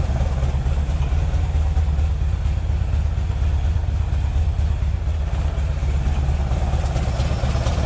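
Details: Green Porsche 914 with a newly installed 2-liter motor: low, steady flat-four idle with a deep even burble and no misses. Idle slightly low, may need bumping up; could be idle or timing.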